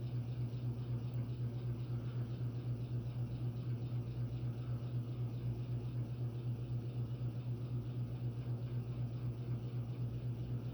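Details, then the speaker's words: Phil Frey custom brass Oak Leaf antique ceiling fan on a Hunter six-blade adapter with 38-inch Homestead blades at high speed: steady low hum with an even throb about four times a second; vibration of unknown source, blades not loose. "and uh none of the blades are loose so I'm not sure what's making that sound"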